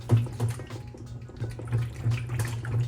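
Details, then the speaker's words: Washer balance ring (top-load/HE washer) rocked by hand: low, rolling slosh about three surges a second because it is full of water, so it is intact and not cracked or split; normal balance ring. "how it sounds like it's full of water? It's because it is full of water."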